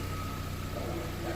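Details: Chevrolet Corsa Classic 2012 VHC-E engine after repair: low even hum with steady faint whine, no rattle; the noise is gone, healthy smooth idle.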